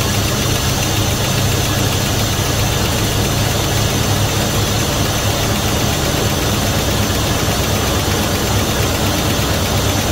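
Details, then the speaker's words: 1971 Dodge Coronet police car, 4-barrel 383 big block after about 30 years of storage, float bowls refilled: a loud, steady V8 rumble with an even beat and no misses or knocks, fairly smooth; the gauge shows 75 psi oil pressure, which the owner doubts. "it's showing 75 pounds of oil pressure so I don't know if I believe that or not but at least it has oil shut it back down but it's Highlands fairly smooth all considering"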